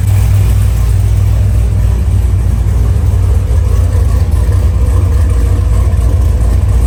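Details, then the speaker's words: LS3-swapped FRS drift car after power steering conversion to fluid rack and new belt: deep, steady V8 idle with no ticking or puffing; earlier power-steering noise hoped gone, running normally. "hopefully all that's gone, and it sounds like a normal car again."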